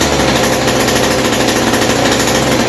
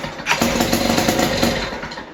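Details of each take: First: West Bend 580 two-stroke engine after cleaning the carburetor and reed valves and fitting new gaskets, run with no choke and the mix screw 2 turns out. A rapid, regular popping beat holds steady without stumbling, a normal idle. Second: West Bend 580 two-stroke engine, sat several months, new starter cup, dogs and recoil spring: catches and buzzes with ragged popping, then sags and dies instead of idling; owner suspects dirty reed valves.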